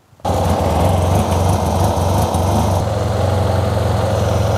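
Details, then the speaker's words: 2009 Yamaha TMax scooter before fuel pump replacement: engine catches and idles unevenly with wavering low beat, then dies quickly; smoke from exhaust, running hot; owner suspects failing fuel pump. "so let me just show you what happens with the bike it cranks a little bit sometimes it idles but it dies quickly"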